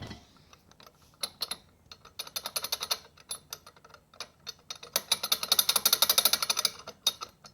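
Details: Rebuilt Triumph Spitfire transmission spun by hand: light, uneven ratcheting clicks bunch up as the shaft turns faster; gear clatter, synchro rings seem very loose, cause not pinned down.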